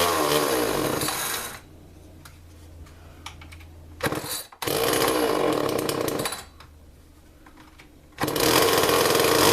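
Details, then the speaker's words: Homelite XL chainsaw, 1995–96, 32 cc: screams at full throttle, then sags to a ragged, uneven low speed and nearly cuts out before revving again; starts and runs but won't hold an idle. "go ahead and like you start it up they don't run but it doesn't want to idle"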